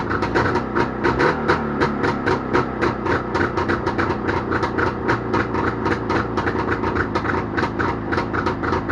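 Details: Jawa motorcycle two-stroke engine started after repair, popping along with a steady, fairly even beat and holding speed without dying; normal running.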